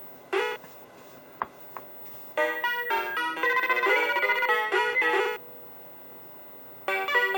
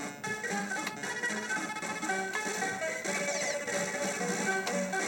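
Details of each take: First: Mappy arcade PCB after replacing 2148 sound RAM at 3K: crisp game melody and beeps with dead-quiet gaps, no static, hiss or crackle; clean audio, bad RAM suspected as the cause. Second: Mappy arcade PCB, sound fine when cold but degrading as board warms: game music warbly and smeared, temperature-related garbled sound; owner first suspected capacitors, finding points to faulty sound RAM.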